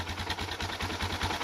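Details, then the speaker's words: Suzuki DR650 after its crankcase and airbox flooded with gas from a failed petcock and float: single-cylinder thumping at a quick, even beat with no misses or knocks. Normal idle. "it didn't start quite that easy the first time but it wasn't terrible either had to crank it a little more"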